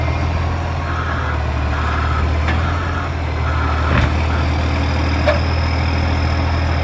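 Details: NAWMA FOGO 3520 diesel truck idling: a deep, steady rumble with a fast ticking puff of about four per second, typical of a large exhaust leak.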